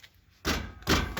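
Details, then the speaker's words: Car wheel kicked to check for a noise like iron banging: three dull thumps, each followed by a short, loose metallic knock. Brake pads are loose in the caliper. "como identificar se as suas pastilhas de freio estão folgadas muito simples vocês podem vir dar chute escutando barulho"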